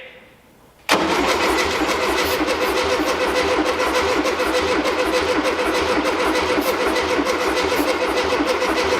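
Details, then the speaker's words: 1973 VW Beetle, replacement engine just installed, cranking with throttle slightly open; starter spins engine evenly at about 200 per minute but never catches; timing suspected way off. "I think this guy been facing more that's where timing probably way off"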